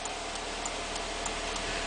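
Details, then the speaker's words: 2014 Subaru Outback remote start install, programming a second starter on the pink/white wire: five presses of the program button give five sharp, evenly spaced relay clicks over a steady hum, confirming the module has entered programming mode. "5 times on the program button. You'll hear 5 clicks"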